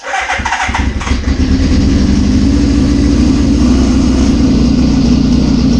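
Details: 1981 Suzuki GS650GL during rebuild with new battery, plugs, oil, filter and pod filters: cranks, catches within a second, settles into even, steady four-cylinder burble on choke; normal running, small carb fuel leak suspected.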